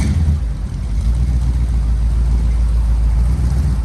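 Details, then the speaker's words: 1964 Chevy C10 V8 first run after sitting 7 years: deep rumble with a lumpy, uneven beat and dropped pulses, a little smoky. It is misfiring, not hitting on all cylinders, and the owner thinks the rings need time to come back. "she's a little smoky but that's you know as long as it's been sitting it'll take those Rings a little bit to come back around and she's definitely missing out she's not hitting on all cylinders"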